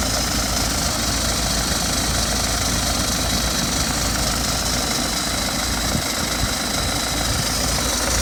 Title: BMW 320d F30 2012 plate rattling noise on cold start?